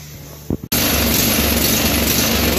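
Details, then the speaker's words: Briggs & Stratton 13.50 small engine, cold, after governor control arm repair and moving the governor spring up one hole: handling noise then low, pulsing, slightly lazy idle; owner may raise idle, letting it warm first. "i might see to take the idle up a little more [Music] but it's also cold too so i'll let it run a bit just to see"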